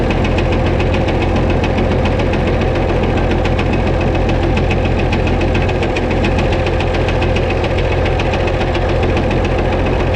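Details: White 2-155 tractor engine running, heavy rhythmic hammering about three to four knocks a second over loud drone with slight miss; blow-by, exhaust and oil pressure normal, internal knock, engine work planned.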